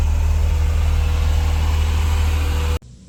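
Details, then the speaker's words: Mercedes W124 sitting for years, cranking after new distributor rotor and corroded cap cleaned; heavy low uneven chugging about four beats a second then cuts out; fires erratically, won't keep running, new cap expected to fix. "all right so well we did get the car to Fire and that's great it hasn't done anything since I can't get it to start it's doing the same thing as before it's just uh it's just firing uh erratically"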